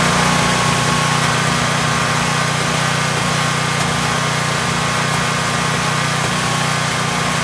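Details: Generac Guardian Ultra Source 15000 W standby generator running after oil and filter change (Royal Purple 5W-30 full synthetic, Fram PH4967 filter, about 1.6 quarts): steady even drone, constant low hum, no knocks, misses or surging; normal running.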